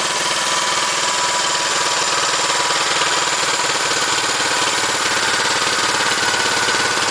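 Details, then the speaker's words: Fully restored 1971 Honda CL350 K3 twin, started after restoration with fuel and key on: even, crisp idle with regular firing beat, no knocks, misses or rattles; normal healthy idle. "We got everything done up and it works really good, and I'm going to actually start it up and let you hear something you probably haven't heard in quite a number of years."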